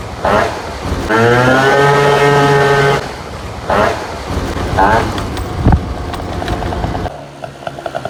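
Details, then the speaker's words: Vento Triton R4 two-stroke, carb re-tuned with a 104 jet and intake shroud on, at 187 degrees and not overheating: strong, steady full-throttle buzz climbing cleanly with no stumble, still reaching 58–60 mph; normal full-throttle run. "this thing riffs absolutely rips and it still hits 58 to 60 miles per hour so the top speed did not change"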